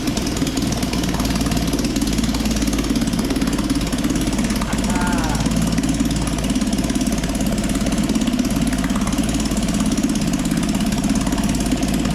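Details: 1956 Firestone 3.6 hp outboard, first run after sanding the points and priming gas down the cylinder: loud steady two-stroke buzz at an even pace, no misses or rattles; running normally.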